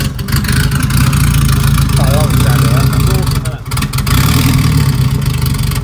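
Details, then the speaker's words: Turbo Honda Civic, first start-up cold with loud open exhaust and idle control valve disconnected, throttle butterfly holding it running: lumpy idle that wanders and dips; unstable cold idle, settles somewhat once warm. "Obviously that idling issue is due to the idle control valve not being connected, so we're using the butterfly to keep it running. When it's cold it does this, once it warms up it settles down a bit."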